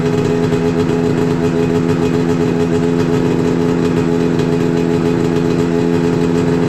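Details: 2000 Yamaha SX500R snowmobile two-stroke after coolant swap, head gasket swap, brake pads and oil leak repair, oil light on from low oil: constant strong buzzing note, even pitch, no stumbles or rattles; runs healthy.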